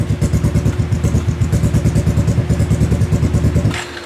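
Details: Kawasaki KFX700 quad on fresh gas has a lumpy, loping idle around three pulses a second with uneven chuffs, popping back through the intake before it dies. Carb cleaned, spark confirmed, timing chain checked; owner suspects stuck valve or timing chain.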